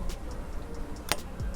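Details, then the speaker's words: Motorcycle starter relay (125ZR) tested with direct positive and negative leads to check it for a no-start: one sharp click as it pulls in, so the relay is okay and needs no replacement. "Dia ada bunyi. Kau dengar tak? Bila ada bunyi tu bermakna korang punya relay ni okey."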